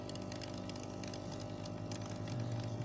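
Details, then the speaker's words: Hazer Unique 2 after repair of a faulty air pump (error E-8), mixer resealed with nylon tape, purge mode set to off: the small air pump hums steadily with faint rhythmic pulsing as it blows air through the line; running normally. "na tady off a už jede foukání a už by je i slyšet to čerpadýlko že to tam fluše že to tam fluše a vhání tam vzduch"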